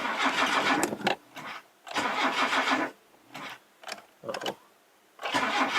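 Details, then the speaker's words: Classic Mazda that sat over 10 years: short bursts of starter cranking, about four turns a second, briefly catching but never running. Cranks without starting; motor probably not healthy. "that doesn't sound good well either way it did want to fire but um it really doesn't matter"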